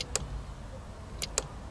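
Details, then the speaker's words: Car horn relay test: relay seated in its socket and the control switch operated; sharp single clicks, one then a close pair, over a quiet background. The relay is switching and the control circuit works. "Si vous entendez un clic alors la commande fonctionne."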